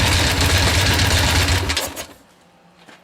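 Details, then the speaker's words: Harley-Davidson Ironhead V-twin, cold, started after sitting unused a long time: fast sewing-machine-like top-end mechanical clatter at idle before key-off. Owner suspects cams, thrust plates or case bushings, maybe all; not confirmed, which is why he isn't riding it. "Yeah, the racket, that's what we need to deal with. I'm pretty sure, like I said before, it's either the cams, the thrust plates, or the bushings in the case, or maybe all the above."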